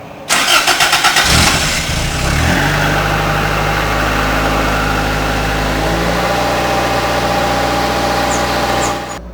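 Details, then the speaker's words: 1985 MR2 cold start after sitting in the garage, checked for tailpipe smoke as a valve-seal test: brief even cranking, quick catch, then a steady fast high idle with no knocks or misses while still cold; normal cold start. "of course just starting up uh it's on high idle"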